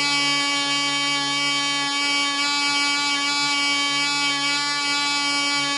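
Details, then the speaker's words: Small glow-plug model engine (Black Widow mouse racer), polished crank bearings, high-compression head, 5x3 prop, 24% nitromethane, first test run: steady high buzzing whine, runs smooth but won't stop when vent closed; suspected small air leak. "it sounds like it's running smooth it just won't cut off when I close the vent so got a little air leak somewhere"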